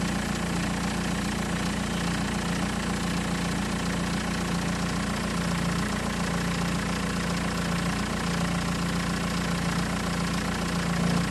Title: is it timing chain rattle?